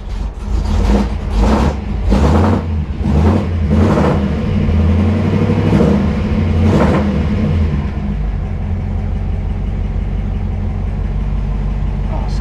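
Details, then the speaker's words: 1955 Ford Y-block V8 after replacing four bent pushrods and setting valve lash, air cleaner on: several quick rev blips, then a smooth, steady idle with no ticking or tapping, much quieter up front than before. "much better man it sounds better"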